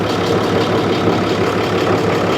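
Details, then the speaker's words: 2012 Ram 6.7L Cummins diesel with aftermarket S&B intake, condemned by another shop for fuel in oil, warm at operating temperature: steady, even idle clatter with no misses or knocks, oil cap sitting still; normal idle, engine judged fine. "So I tend to think this engine is perfectly fine. To me, there's nothing wrong with this motor."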